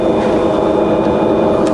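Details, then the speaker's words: Fully rebuilt Bridgeport variable-speed milling machine, spindle in low range around 60 RPM before reversing: even, smooth quiet whir, no knocks, rattles or whine; spindle head healthy. "Push this handle in, turn it round, make sure it's locked in, and then we can fire up. It's just as quiet in low range."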